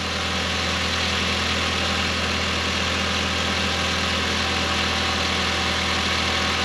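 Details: Audi TT Mk1 8N (S3 8L) idling right after fitting catch can, larger intake tip and Pro Ram induction kit: smooth constant idle, even low hum, airy intake hiss, no stumbles or rattles; no warning lights, normal idle.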